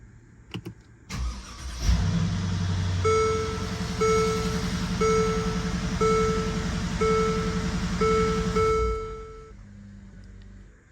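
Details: Mercedes-Benz GL 450 V8 at 166,000 miles, just after crank position sensor replacement: short crank catches quickly into a steady idle under a repeating dash chime, then shuts off; starts and runs cleanly.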